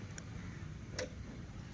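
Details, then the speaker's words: Yamaha MT-15 with drained battery, electric start pressed: faint single clicks about every three quarters of a second over low hum, no cranking; dash screen switches off and back on; bike won't start. "ఒకసారి చేశాను start. So మళ్ళీ కొట్టాను start అయితే అవ్వట్లేదు."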